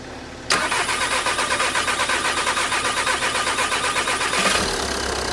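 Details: 2010 VW Passat 3C 2.0 TDI first start after engine rebuild following a broken timing belt; brief crank, catches, settles into steady even diesel idle, no knocks; normal start.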